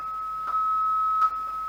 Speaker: and you can hear it's crackling a bit that's because the Captivity screen recording I seem to scream recorder seems to grab up all the processing power